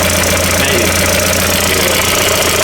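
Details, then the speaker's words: Mk4 VW GTI barn find, sat 6 years, first start after engine reinstall: loud busy idle with fast light top-end ticking. Owner suspects low top-end oil pressure or a stuck tappet after storage; not confirmed. "I don't know if it just needs to run for a bit longer, but it seems like it might not be getting oil like pressure on the top end. So, it's just rattling, which is really odd."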